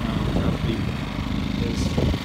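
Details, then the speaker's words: Generator with economy mode on an Andalusia Marine 2070 bowfishing boat kicker rig, running under load; low, steady, quiet hum with no misses or knocks; normal running under load. "these things are super quiet most of you used an inverter generator before in case you had it's a little louder it's got an economy mode so it only runs as hard as it needs to"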